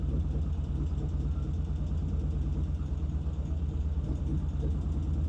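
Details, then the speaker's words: 1975 Norton twin settles into a steady, even, clean idle after fine tuning. The poor idle was traced to throttle cables from the splitter to the carburetors being too small and holding the slides up. Oil leaks still to be checked. "All right, it sounds good. I'm going to let it sit for a while. Check for oil leaks. Well, I finally got a good idle."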